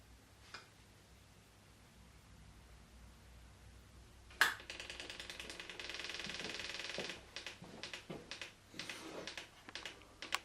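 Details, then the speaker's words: KTM EXC TPI two-stroke after installing an updated oil tank to fix a leaking one: quick light ticking in bursts is the injection oil pump filling the system and bleeding the hose, normal. "you hear the sound its injection oil in the system and it's bleeding the hose"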